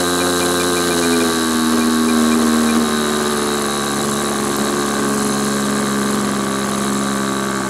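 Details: Model glow engine on a restrained SIG Kadet LT-40 RC aircraft during break-in: steady high buzz that sags and wavers instead of screaming clean; mixture too rich, needs leaning.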